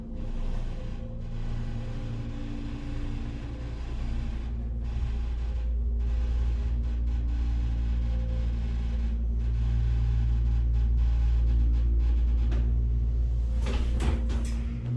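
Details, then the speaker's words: Burlington hydraulic elevator with Epco CircleLine fixtures serving three floors, riding up. A heavy, steady low drone through the whole run gets louder and deeper while leveling; far too loud for a healthy unit and worse than before. Abnormal running noise. "And it somehow gets louder when leveling. Yeah, Bloomingdale's Macy's ain't fix your elevator."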